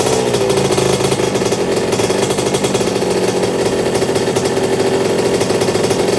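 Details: 1982 Suzuki RM125 two-stroke, freshly restored engine on first test run, cooling water issue noted for later: crisp, even buzz held steady while revved, no knocks, rattles or misfires; engine sounds really good.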